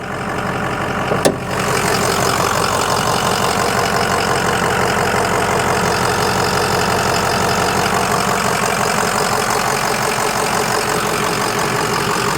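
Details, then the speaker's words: 2005 Ford Excursion Limited 6.0L Powerstroke diesel 4WD, 186,898 miles, new injectors and turbo, EGR delete, ARP head studs, hood open at idle: steady, even diesel clatter with no misses or odd knocks, a healthy normal idle. "I'm gonna hop out and pop the hood. Let you hear it idle. Sounds great. Like a healthy 6o."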